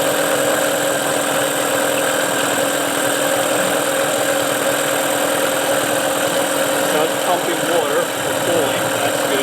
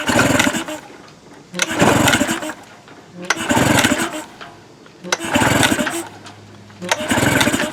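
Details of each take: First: Tracker (Mercury Marine) 9.9HP outboard, unused a year, now restarted, off choke with idle adjustment on fast, some smoke burning off: steady, even buzz with constant pitch, no knocks or misses; running cleanly again. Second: Tracker/Mercury 9.9 HP outboard, unused for a year, pull-start cranking after starting fluid sprayed into carburetor throat: brief pops, never runs on its own; spark and compression confirmed, fault is fuel/carburetion.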